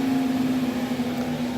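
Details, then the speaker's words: Exhaust fan of a 60 W CO2 laser cutter, plugged into a homemade dimmer-switch speed control and turned down: steady airy whoosh with a clear hum, no rattle or scrape; normal fan running at reduced speed. "once you plug this in the wall and you plug your exhaust fan into it then you control it by [Music] you can hear the difference here so"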